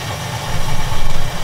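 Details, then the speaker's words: Rinnai tankless water heater on a Hugo-X1 battery backup with its breaker off to simulate a power failure: the relief valve is popped and the burner swells, lights and holds an even rumble with the fan, firing normally. "okay relief valve fired can you hear it that's all me you go"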